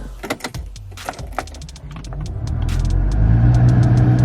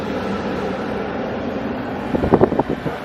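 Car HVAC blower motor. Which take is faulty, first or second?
first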